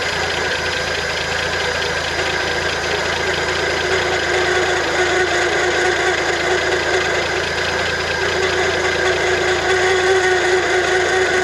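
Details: 1971 International Harvester 1110 pickup, AMC 232 six, 4-speed, first start after sitting, rebuilt carburetor fed by the fuel pump, before timing set. Steady, even running with a constant whir on top and no misses; idling fine.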